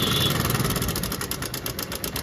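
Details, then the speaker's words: Honda Shine motorcycle just started on choke after cut wiring repaired, battery dead: fast even ticking rattle over the single-cylinder idle, attributed to the timing chain tensioner making a lot of noise. "Engine का sound देखो मलब time tension आ र है उसका काफी ज्यादा काफी ज्यादा sound आ रहा है फ्रेंड"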